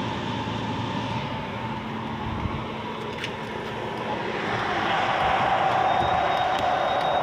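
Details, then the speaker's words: Clothes dryer motor after repair, bushing and rubber cleaned with gas and reassembled: steady, even whirring hum with no squeal, scrape or knock; earlier it spun but was noisy; capacitor replacement still being considered. "Okay na ito pagka naibalik na natin an Okay na wala ng ingay h na siya maingay maganda ng takbo ng motor"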